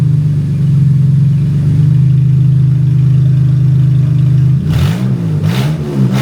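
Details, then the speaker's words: 2014 Honda Odyssey with over 200,000 miles, just fitted with four new aftermarket catalytic converters and no exhaust beyond them: a very loud, deep, raspy idle, then unmuffled barking throttle blips. The engine is running open exhaust after the cats. "Open headers. So, so I got to do it. I'm going to start it up and see what it sounds like."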